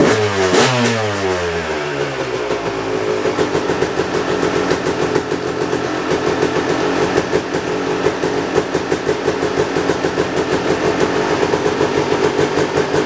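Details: Kawasaki KX250 two-stroke dirt bike, first start after ten-plus months in storage, on fresh gas mixed 32:1 per old Kawasaki spec: crisp, buzzy rapping that fires right up and climbs sharply with each blip, revving freely and running healthy.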